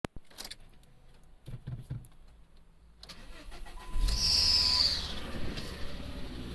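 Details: Ford Focus ST mk2: engine cranks and catches, then a sharp hiss and quick ticking over idle from the exhaust manifold gasket bolts/manifold, per a local garage (Volvo service had claimed turbo replacement).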